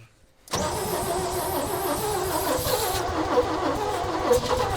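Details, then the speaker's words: 1965 Chevy rollback with rusted cylinders, corroded pistons and a valve not seating on number two, cranked with no fuel or starting fluid: starter spins evenly for several seconds, never fires. "Well, I didn't even put any fuel or any juice to it, and that's about as much as we've got out of it."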